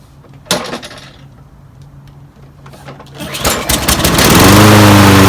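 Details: Free roadside Toro Recycler 22in mower with Briggs & Stratton Quantum 190cc ReadyStart engine, after spraying carb cleaner: a few pull-cord rasps, then it catches and settles into a steady, even run. Normal start and idle.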